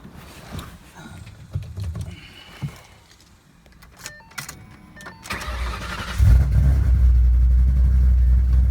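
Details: Shelby back on the road after two years of motor issues, running E85 with GBA long-tube headers, off-road X-pipe and Magnaflow axle-backs. Quiet clicks, then the V8 cranks and catches and settles into a deep, steady, even idle with no knocks or misses.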